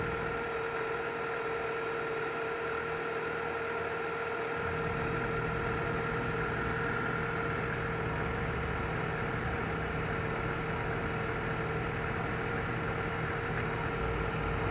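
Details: Audi A4 B8 2.0 TFSI, cold engine at idle: light, fast ticking about three a second during cold high idle, stopping once idle drops to 1000 rpm; cause unknown.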